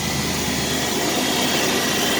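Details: 2001 Chevrolet Blazer 4.3 V6, 165k, after replacing a bad idler pulley with a junkyard unit: steady even whir, no chirp or squeal from the idler; belt drive smooth, alternator bearing still suspected next.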